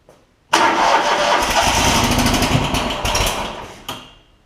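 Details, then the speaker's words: John Deere ZTrak Z915E mower, Kohler V-twin, sat 2 years, before repair: cranks, catches briefly on carb spray, runs roughly a few seconds then dies; no fuel delivery, later traced to stuck carburettor solenoid. "Yeah, it'll at least pop off. It's just not getting any gas."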